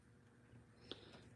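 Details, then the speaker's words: iPad during screen replacement: one faint sharp click in a quiet room as the flex connector snaps home and is properly seated; if no click is heard, don't press harder. "Gonna hear the click. If you don't hear it, don't press it."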